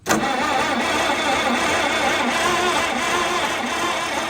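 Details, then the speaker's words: Long-neglected White 2-44 project tractor: steady starter cranking that never catches or fires, the engine just spinning over; no ignition spark found, so rewiring or shorting a wire is planned. "Don't believe I've got spark. So we're gonna maybe run this wiring a little differently, or short a wire in here and try again."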